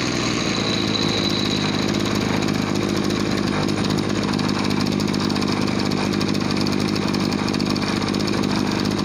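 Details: Two-stroke agricultural backpack sprayer engine after cleaning and setting the air-fuel mixture screw to fix bogging and no power: an even, high buzzing note held steady with no bogging or surging. Normal running.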